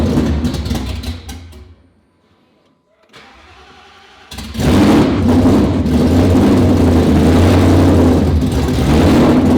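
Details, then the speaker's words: 2019 Roush Stage 3 Mustang V8, first start after engine rebuild: engine sags and dies, restarts and is kept alive only by blipping throttle, won't idle on its own; camshaft position sensor codes, owner believes an electrical short. "all right guys so obviously it's not staying running on its own but we're making progress"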